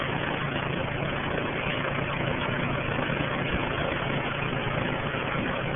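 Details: Rheem 13AJN 5-ton condenser installed a week earlier: loud steady rumble with a loose chopping pulse about three a second, like a helicopter taking off; cause not identified.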